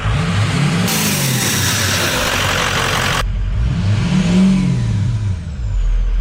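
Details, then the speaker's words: 6.0L Powerstroke diesel after replacing the intercooler pipes to fix a boost leak: revs up and settles back smoothly with a steady, even note and no intake hiss or whoosh; no boost leak any more. "sounds a lot better"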